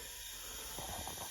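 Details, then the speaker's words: Chevy Vortec L31 engine on cylinder balance/leak test, cylinder at top dead center on compression with both valves closed: steady soft hiss of air escaping at the intake, intake valve seat not sealing; possibly valve hung up, tapping helped slightly. "so if I go over here to the intake we got air leaking so that valve seat is not good"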